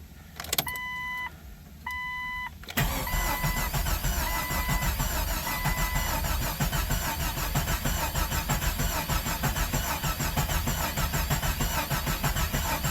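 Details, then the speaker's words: Jeep XJ with a new 4.0 engine, years off the road, cranked with the fuel line disconnected to get oil flowing: dash chimes, then steady, even starter cranking that never catches. Normal cranking. "All right, sounded normal so far."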